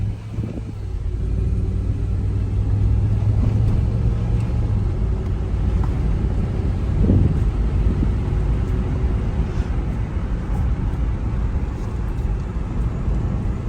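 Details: Range Rover at about 168,909 miles, test drive on back streets with windows open after bearings, rotors and pads were replaced and a bent brake dust shield was found scraping the rotor: low steady road rumble, no scraping or grinding; normal brakes while driving.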